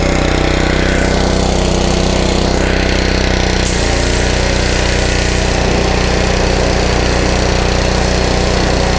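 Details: Honda 5 hp GC160 (model uncertain) gravity-fed pressure washer engine that had been surging with weak pressure, after new filter, spark plug and carburetor cleaning: holds a steady, even chug at constant speed with no surging or hunting; runs smoothly.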